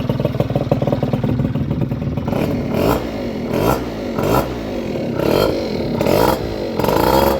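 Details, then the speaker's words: Honda Vision two-stroke scooter after barrel, piston, head and crank replacement, after a little over half an hour of running, small amount of oil added to the fuel: crisp idle with quick clean blips; normal idle and revving. "I think you'll agree, that sounds much, much better. And that has been a little over half an hour, and that sounds really nice."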